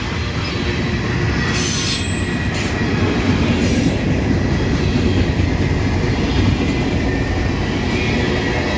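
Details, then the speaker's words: Freight train passing under heavy dynamic braking with distributed power: a steady rumble of cars with sharp high wheel squeals coming and going as the wheels squeal from the hard braking. "You hear them wheels squealing? The dynamic brakes are so hard the wheels are squealing on that one."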